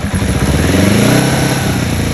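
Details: 2005 Kawasaki ER5 CDI twin-coil twin-plug engine, warm: loud, lumpy idle whose pitch barely climbs then sags when throttle opens; bogs, won't rev; plugs and coils suspected, unconfirmed.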